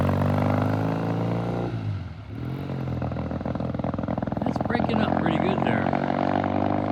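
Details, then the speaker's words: 1972 Triumph TR6 motorcycle, cold start after front sprocket replacement: uneven stumbling exhaust beat with dropped firings and surging revs; rough cold running that cleared as it warmed, pilot jet suspected, not confirmed. "all right that sounds pretty bad I'm going to check the pilot jet when it comes back [Applause] okay okay now it sounded rough it cleared up it just you know we had the same problem before it takes a little while for this thing to warm up"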